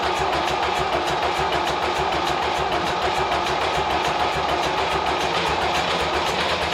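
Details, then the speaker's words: David Brown 990 diesel tractor abandoned 20 years after tipping over while running, fuel system flushed, fresh fuel, air filter checked, oil not yet changed: steady even idle with light clatter, no knocks or misses; runs, sounds not bad. "Well, she's a runner. It doesn't sound too bad actually."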